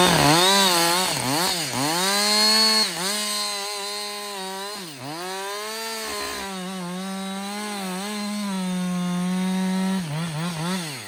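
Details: Husqvarna 562XP 60cc chainsaw, reflashed by the shop after dying when hot, not starting and stumbling, bucking dead windfall about two-thirds into a tank: strong buzz bogs slightly in each cut and recovers cleanly to full revs; pulls well, running healthy.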